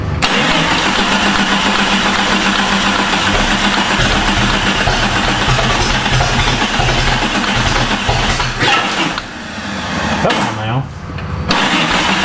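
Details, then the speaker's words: Jeep with swapped non-original engine, starter bench-tested OK, cranked via bar with anti-theft suspected: long steady starter churn about four pulses a second, never catches, clicking noted. "I found out that I can stick this bar down through here, and I can run the starter with this, and it's kind of wanting to run, like I said, anti- theft device kind of I believe it said I think I can something is uh clicking."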